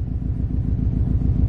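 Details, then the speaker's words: Subaru STI at idle around 1000 rpm: lumpy uneven idle with steady low stumble and heavy vibration felt at the shift knob, a cylinder misfiring only at idle; cause unknown. "okay now it's missile so it's only missing at idle at like a thousand around there why the hell would it do that really bad"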